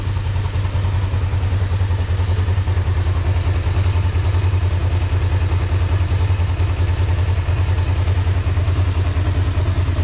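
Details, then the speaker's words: 2005 Kawasaki Ninja 500R twin, sat 10 years, after new carbs, tune, synchronization and oil change: smooth even low burble at steady idle, no knocks, ticks or misses; super healthy, very happy bike. "Sounds really good, man, with those new carbs and that tune and synchronization. It sounds really healthy. Super healthy. Yeah, it's a very happy bike. Very happy bike."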